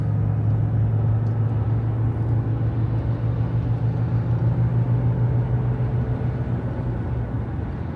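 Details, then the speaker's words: Jeep Grand Cherokee WK2 at about 75 mph on the freeway after padding the windshield cowl so it can't jiggle: steady road and wind rumble, no hum or drone; cowl noise fixed. "so this would be the speed where we heard the noise earlier we going to go back here and as you can see now it's quiet can even go a little further now we have more wind noise in the chassis but the cowl is completely quiet now"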